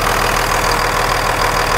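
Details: 1998.5–2002 Dodge Cummins (VP44) idling after the Fleece PowerFlo lift pump install and bleeding: steady, even diesel clatter with a smooth regular pulse, no misses or knocks, and no leaks.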